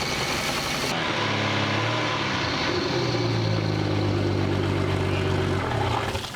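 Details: Boat from Copart whose locked-up engine was replaced with a remanufactured one, started in neutral after tightening a loose battery connection: fires after a brief crank, rises, then holds a steady, even idle; clean start and run.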